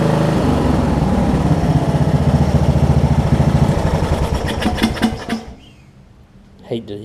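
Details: Wizard (Craftsman-type) riding mower after fitting a new carburetor to replace the worn-out old one: even, regular thumping at steady idle for about five seconds, then shuts off cleanly; engine runs fine.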